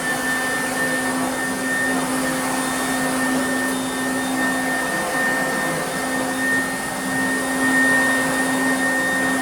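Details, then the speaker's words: 1991 Goblin Laser 2600 Plus vacuum cleaner after full restoration with a brand-new motor: even, steady motor whine at constant pitch with no rattles, surging or grinding. Normal motor running. "plug her in and i'll show you what she sounds like now this been a while hasn't it since we've heard the sweet dulcet tones of this vacuum"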